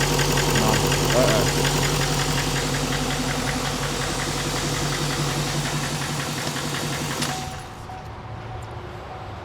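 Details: Truck's second newly built engine from another shop, barely any miles (two engines replaced in the last 15,000 miles), fired up briefly at the shop: regular deep knock about three to four per second until shutdown, suggesting worn engine bearings.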